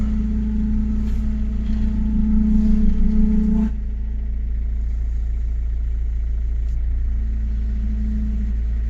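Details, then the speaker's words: Chrysler PT Cruiser CRD diesel idling during power steering bleeding after pump work, fluid level a bit low; loud droning moan from the steering pump cuts off suddenly, leaving a faint whine that starts to fade. "ah ça commence à s'atténuer un peu"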